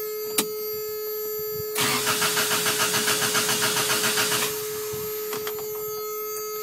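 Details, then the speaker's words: Toyota after cleaning idle air control valve in throttle body with throttle body cleaner and compressed air: starter churns about three to four beats a second for nearly three seconds without catching, rough at first, some smoke, then runs good; hard cranking start after cleaning. "you see and you see it's having a rough time starting so that's that's normal"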